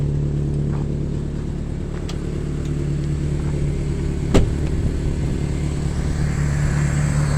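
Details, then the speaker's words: Toyota Tacoma with five-speed, described as a good running truck with a frame needing patches: deep, loud rumble swelling with revs, rawer than stock; owner says it needs oil, sounds like, and exhaust work. "This is a good running truck. That needs oil, it sounds like. Five-speed. Yeah, it needs some exhaust work."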